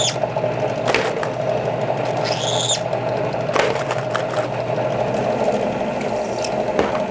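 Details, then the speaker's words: Outside case-mouth deburring of rifle brass for a Dillon XL650 reloading setup, cutter (Kwik Trim) chucked in a drill press; thin steady squeal over the spinning motor with light brass clicks, the normal deburring sound. "Hear that little squeal? And that's all you need to take that outside deburring off."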